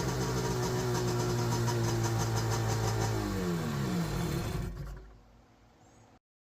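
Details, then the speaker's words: Seadoo HX 720 Rotax jetski engine runs steadily with slight backfire from rust in the carbs, then clanks loosely as it shuts down; driveshaft coupler missing its dampener. "If you listen close, you can hear the engine backfire slightly because there was rust in the carbs, and when the engine shuts down, you can hear the clanking from what I found to be a missing driveshaft dampener."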